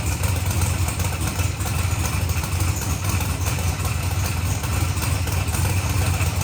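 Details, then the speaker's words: Procharged billet-block LSX Corvette on the dyno, full-throttle pull: deep, loud, steady V8 roar under heavy load with no misses, pops or knocks; engine running clean and pulling quickly. "it did sound clean that sounded super smooth yeah she was coming up quick"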